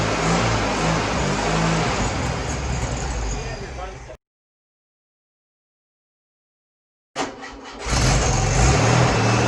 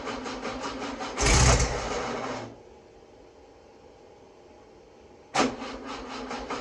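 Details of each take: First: Freshly rebuilt VW 1641cc dual-port flat-four, new pistons and rings, reconditioned head, redone carburetor, first start: smooth even run, revs cleanly, no ticks, taps, knocks or smoke; healthy, only fuel pump bad. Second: Freshly rebuilt VW 1641cc dual-port flat-four, first start: catches, runs roughly a second, dies, fires again briefly; seems short of fuel, fuel pump suspected.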